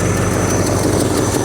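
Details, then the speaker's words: 1967 Ford Galaxie 500 V8, hot, idles loud and rough with a steady airy hiss on top plus a slight tap; a vacuum leak somewhere, location not yet found. "Yeah, we got we definitely got a we got a vacuum leak somewhere."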